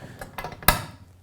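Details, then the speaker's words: Lancaster Archery Supply Pro Shop draw board winch being cranked: a few light ticks then one sharp snap as the ratchet catches; normal cranking-lock engagement. "you'll get your winch which actually has both uh cranking locks and loosening locks so as you I'll show you here you can hear it clicking that's uh locking it in"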